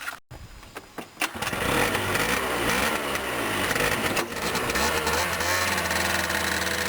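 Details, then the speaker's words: Engine after fuel pump repair for no fuel reaching the carburetor, fuel primed beforehand so it started quickly; brief cranking, then it catches, revs up and settles into an even, steady run; normal start and run. "А так как он завелся быстро, потому что я уже качал, я уже пробовал."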